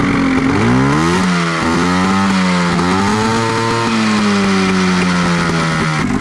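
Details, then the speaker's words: 1989 Honda Pilot with swapped Ski-Doo 670 two-stroke engine: buzz wanders in pitch with ragged, uneven beat, lacking power, began while going slow through trails; suspected fouling spark plug misfiring. "Definitely feels like we got a spark plug that's fouling. It's just kind of lacking power. You can just hear it kind of running rough."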